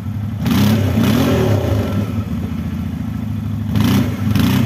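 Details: Used 2015 CF Moto X8 ATV after engine, variator, brake and suspension repairs: steady engine roar swelling as the throttle opens, with no clunks or grinding; the four-wheel drive is pulling cleanly under load.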